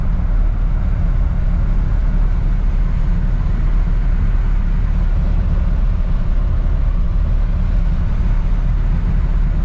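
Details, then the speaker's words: 1959 Chevrolet Bel Air V8 on carburetor with choke set, in neutral, after the sticking dashpot was removed: steady, even low rumble at warm-up idle, no knocks or misses. Normal. "all right we'll let it warm up a moment and we'll go for a little ride and hopefully that takes care of it"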